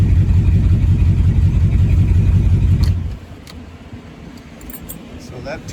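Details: 1972 Ford F-100 Ranger XLT after years in storage, ignition wiring fixed to start from the cab: engine runs with a strong, even low rumble for about three seconds, then shuts off cleanly; starts and runs fine.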